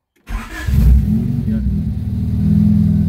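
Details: 1992 Honda Civic EG (D15) with a surplus original ECU just fitted after hard starting and not drawing fuel: quick crank, the four-cylinder catches at once, flares, then settles to an even idle with no misses. Normal start.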